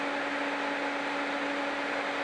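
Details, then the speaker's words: Large Revolution EC fan, ramped up on its dimmer with no filter fitted: loud, steady rush of air with a constant mid-pitched hum, no rubbing, ticking or wobble; normal fan airflow noise. "Raise my voice a little bit, but it is noisy. I don't know if you can pick that noise up, but it's noisy. That's because of the amount of air that this fan is actually blowing out here."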